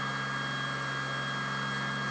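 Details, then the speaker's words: 4 Dualpole Mini Kit pulse motor charging a 12V battery, below its earlier 48V run, climbing to about 4030–4050 rpm before the generator coils are shorted: a high steady whine with fixed ringing tones at constant speed, running normally. "It's pretty fast. Now this thing was going a lot faster at 48 volts."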